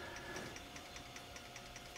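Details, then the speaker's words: IBM 5155 Portable PC 5.25-inch floppy drive in an RPM speed test, measuring very close to 300 rpm with 250k data rate: light, even ticking over a soft whir; spindle turning steadily, healthy. "space bar will reset the calculation if I hit space so that should be running at about 300 RPM very close to it"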